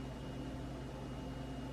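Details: Samsung range after door lock switch repair, on a self-clean test cycle: low, even hum with a faint steady tone, no clicks or buzzing, counting down and cleaning normally.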